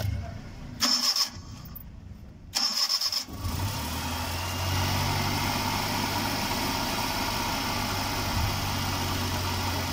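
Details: Suzuki Ravi/Bolan (Euro) first start after timing belt and bearing replacement: two short cranking bursts, then it catches and settles into a steady, even idle with no tapping or whine. Normal.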